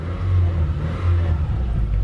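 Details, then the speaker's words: Magnaflow stainless performance muffler 11366 just welded onto a 2010 Subaru Impreza, replacing the restrictive stock muffler, idling with light throttle blips: low smooth burble, no rattles or drone, clearly better than stock; normal exhaust note. "I mean doesn't sound - too bad a lot better stock so I don't think contour can complain so yeah I mean it's a lot better than that freaking big blob you know"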